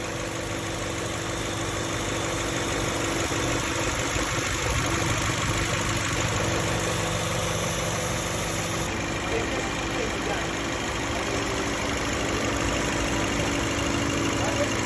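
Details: Toyota Camry AXVH71L with a misfire and vibration complaint addressed by new spark plugs, cleaned injectors and a cleaned throttle body: an even, steady idle hum with no stumbles or uneven beats at constant speed, a normal smooth idle.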